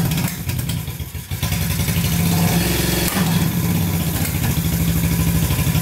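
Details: Barn-find Honda CB350 twin (listed as 1970 or 1974), revived after years sitting, oil checked and clear, warming up with both pipes hot: uneven lumpy idle with a loose clattery pulse, both cylinders firing but not yet smooth.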